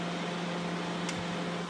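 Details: Sharp R-241 microwave brought in not powering on (fuse suspected blown), running while the control board and relay are checked: steady low hum under an even fan rush, no clicking, buzzing or arcing; normal.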